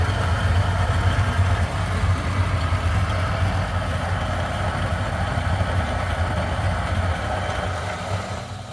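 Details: 1zpresso K Plus hand grinder at setting about 11¼, grinding for Turkish coffee: low deep rumble, smooth and even with no catching or straining; grinding normally.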